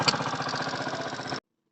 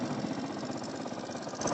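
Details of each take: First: Rebuilt Honda CD 70 engine, first start after assembly: the small single idles evenly with a light, quick tappet tick on each beat. Tappets are deliberately left slightly loose, to be adjusted after 50–60 km. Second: Honda CD 70 engine rebuilt from scrap, first start after assembly, idling: light, quick ticking because tappets are deliberately left loose, to be adjusted after 50–60 km. Valve tappet noise (loose valve clearance).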